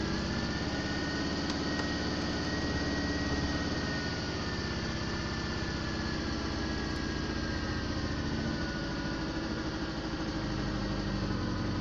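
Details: VAZ-2110 petrol engine, first start after repair: even settled idle, smooth low purr, no knocks or misses; normal idle.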